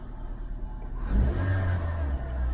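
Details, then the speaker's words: 2008 Suzuki Swift EZ, manual 1.5, previously with an intermittent misfire on two cylinders; two coils and leads were replaced. After 10–15 minutes of warm-up, the idle climbs cleanly into a smooth, even rev with no stumbles. Running normally. "10 to 15 minute Mark and no splotter it's idling very nicely at 2 46"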